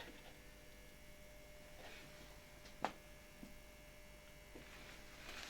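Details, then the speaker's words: AEG electric heater type 245111 (about 1939/40) with 500 W elements, powered at reduced voltage through a voltage regulator with one element switched on: a faint steady electrical hum with soft ticks; the element is working. "Na pewno słyszę, że grzejnik już pracuje."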